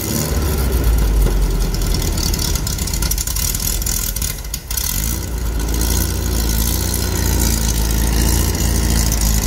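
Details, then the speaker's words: Dune buggy engine just remounted after it had been hopping: deep, uneven, loping idle with stumbling and chatter; engine no longer hopping but carburetor not happy, needs carb work; front transmission mount suspected for remaining chatter. "well the motor's not hopping around like it was something happened the carburetor is not happy"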